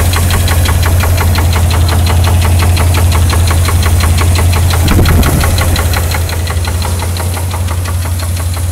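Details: 1991 GMC S15 Jimmy, 4.3 V6, 250k miles, knock just developed: steady regular knock about three per second over the idle hum; owner unsure whether rod knock, lifter knock or both.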